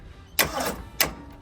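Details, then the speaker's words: V8 Jeep CJ5 not run in 25 years, first crank attempt: two sharp clicks about half a second apart with no cranking; motor won't turn over, suspected bad ground. "No, is that all it's got? Yeah. That sounds like bad ground to me. Yeah, that's what I was thinking too."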